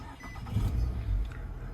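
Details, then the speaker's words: 2009 Nissan Altima 4-cylinder with no-start complaint, after Power Probe fed the starter directly and MAF and idle air control codes were cleared: brief clean crank, engine catches promptly into low steady rumble; starter and start sound normal. "no issue starting starter sounds fine the vehicle itself sounds fine"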